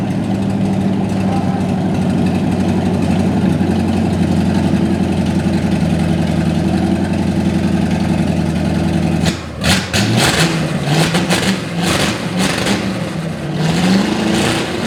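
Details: 1955 Chevy V8 stored 20 years, running: holds a fast, hard idle with no sag for nine seconds, then clattering; after capping vacuum leaks the idle stays far too high, attributed to a stuck choke.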